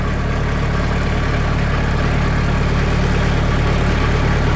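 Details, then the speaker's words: Sawmill engine at a steady, smooth low idle after 80 mil (2 mm) automotive sound-deadening sheets were applied to the doors; the panels still visibly rattle but the rattle is no longer heard, and it runs noticeably quieter. "It's quieter. You can see this is still rattling, but you don't hear it."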